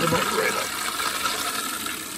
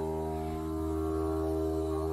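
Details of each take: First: Toilet that buzzed in the pipes when flushed, after fill valve replacement: smooth steady rush of water refilling tank with no buzz or hum; fill valve working normally. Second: Toilet on flush and refill: a loud, steady low buzz heard through the supply pipe, holding one pitch while the tank fills; fill valve suspected, with a trapped air bubble or the shutoff valve as alternatives, and the fill valve replaced.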